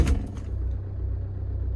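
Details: VW Mark 6 diesel (TDI) after removing the dogbone mount stiffener insert, mount threads gnarled from being crooked but cleaned up: after brief start clatter, settles into an even steady low idle with no shaking or knock; runs smooth.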